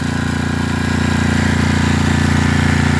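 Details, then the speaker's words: Coleman Powermate 6250 generator bought at auction, started on second pull; steady even single-cylinder thumping at constant speed, no surging or knocking; normal running. "yeah second pool they fired right up y'all can see I got it running right now"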